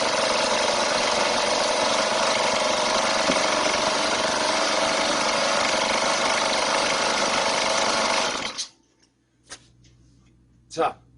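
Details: Two-stroke chainsaw on 25:1 fuel mix, started with the choke and then the choke lowered: a steady, even high buzz for eight seconds with no stumbles before shutting off; normal idle.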